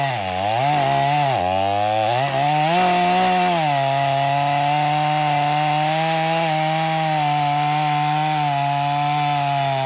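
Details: Stihl MS250 chainsaw test cut after a carb tuning job for not restarting when warm; tuned rich for break-in, possibly some compression loss from ingested fines. Strong two-stroke buzz dips as the chain bites, then holds full revs. Normal cutting under load.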